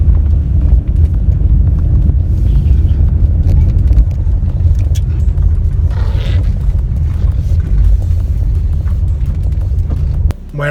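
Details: 2013 Chevrolet Aveo on a test drive through curves and braking after replacing the noisy rear double wheel bearings: only a steady low road rumble, with no growl, hum or squeal rising with speed. Normal wheel bearings.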